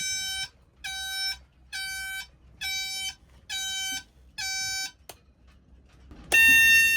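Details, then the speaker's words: Yamaha outboard dual-engine start/ignition switch panel: six steady beeps about every 0.85 seconds, then a sharper different alternating tone; false alarm codes from the faulty switch panel, later replaced. "It throws off some false alarm codes that don't match with what's actually happening on the engines. This is the worst sound in the entire world, and the alternating tones let us know that something was for sure broken."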